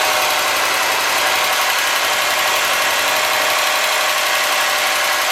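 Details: '03 Subaru Forester, 178k miles, ~150 miles after head repair for a dropped valve guide, cold idle: fast light ticking tracking engine speed, driver-side front cylinder exhaust valve clearance .029 vs about .010; adjustment eliminated it.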